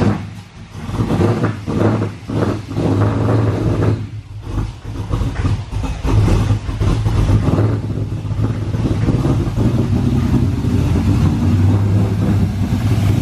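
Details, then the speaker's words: Boosted GTO V8, first start: deep idle surges and blips unevenly for a few seconds, then settles on held throttle; sounds rough and rich, fuel pressure about right, ECU not yet learned. "so it sounds different back there right now it's running a little rich but i got my foot on the gas because i'm keeping it running right now"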